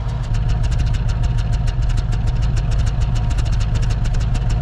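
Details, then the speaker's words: 1979 Ford Ranchero GT V8 that sat 20 years, at idle after test drive: fast-ticking idle with an uneven skip, one or two misfires not consistent, running all eight under load; likely carburetor issue suspected; intermittent idle misfire. "And you can hear those 2 misfires of idle are not consistent. Sometimes it's 2, sometimes it's only 1."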